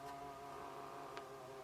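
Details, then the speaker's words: 1976 Astor MF029 flip clock radio, first power-up before service: steady, slightly uneven whir under the ticking clock mechanism; clock motor running noisily, later lubricated. "Oh, the radio's lit up. Jeez, it's making a funny noise."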